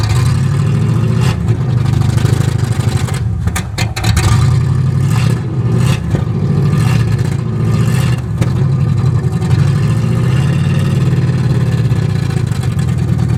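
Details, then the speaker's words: 1963 Oldsmobile 88 survivor, choke faulty, running after gas poured down the carburetor, throttle blipped: deep, loud, raw exhaust roar with lumpy pulses swelling as throttle opens; muffler blown out completely, exhaust needs work. "muffler's blown out completely on this thing so uh definitely going to need to do something with the exhaust it sounds badass though give her a little rip"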